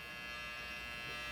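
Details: 8TB Seagate internal hard drive, boot drive, failed unexpectedly: steady loud razor-like barbershop buzz with high whine and no normal seek clicks; mechanical failure, data not recoverable.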